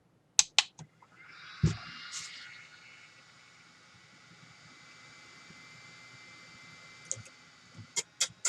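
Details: Parrot ANAFI drone after a week underwater, new motorboard and new battery fitted, at power-on: sharp clicks, then a thin high whine that rises and holds for several seconds; normal motor self-check at startup.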